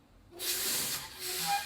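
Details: CDL truck pre-trip light check while the brake lights are tested: a sudden sharp air hiss that holds steady for over a second, the ordinary sound of the air brakes applying.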